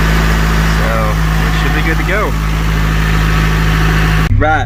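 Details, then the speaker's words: Honda CRX Si, just restarted after oil change, fuel filter replacement and intake tube reinstalled: steady, even low idle with no misses, knocks or ticks; running well, slightly loud from the still-holed muffler. "so far it seems like it's running pretty good i'm about to take it down the road"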